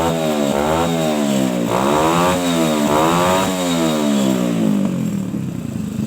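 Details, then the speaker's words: Suzuki Shogun motorcycle, trail-converted for heavy loads, running without air filter, after cleaning a clogged carburetor that hesitated on throttle and adjusting air screw: revs crisply and repeatedly, pitch climbing and falling cleanly with no stumble or bog; normal revving. "Nah, sepeda motor ini pasti enak buat untuk tarikan setelah selesai untuk menguras atau membersihkan pada karbu yang tidak normal ya, agak terhambat bahan bakarnya."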